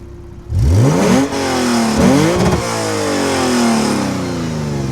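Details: Lexus RC350 with PPE headers and resonators, stock mid-pipe refitted in place of the Invidia mid-pipe to cure a rattle and whooshing noise: blips up and falls back smoothly, clean even exhaust note, no rattle or buzz from underneath.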